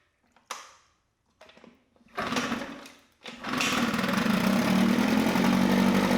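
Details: Mercury 9.8 hp 110 outboard after a new water pump impeller, lower unit seals and idle adjustment: a few handling thumps, then it catches and holds a steady, even buzzing drone. It is running normally.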